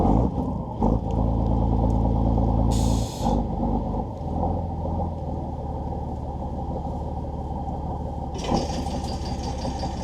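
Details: Volvo Penta TAMD 71B marine diesel, stood 10 years in a partially sunk abandoned boat, prop test in gear after reviving with bled fuel: deep even thrum, no knocks or misses, brief air hiss; running normally.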